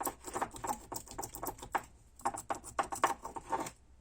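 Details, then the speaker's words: Ford Focus 2 facelift with 200,000 km: sharp, loose clacking about four times a second from worn anti-roll bar links with play in the ball stud; they are to be replaced with ball-less bushed links. "Вот так стучат линьки."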